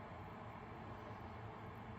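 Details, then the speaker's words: Electric kettle after heating element replacement, filled with water, no leaks, light glowing blue: steady low rumble with soft hiss, no buzzing or crackling, as water works toward a boil; drawing about 1,725 watts. Normal heating after repair. "It's full of water. Give it a test now. It does light up blue. Good. I can hear it."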